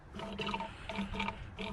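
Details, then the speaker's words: 2006 Jeep Grand Cherokee with heating issues, during thermostat change and radiator flush: squeezing the drained hose gives soft watery gurgles and bubbling; air in the empty cooling system, will need bleeding. "I can hear that my radiators telling me it's empty I'm probably gonna have to bleed it"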